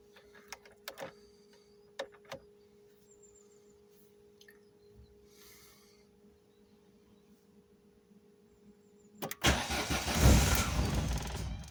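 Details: Volvo 480 turbo after new plugs, leads, rotor and distributor cap, long wet storage; faint clicks then steady cranking with no catch, tries to start with fuel in the intake; owner suspects fuel pump or relays.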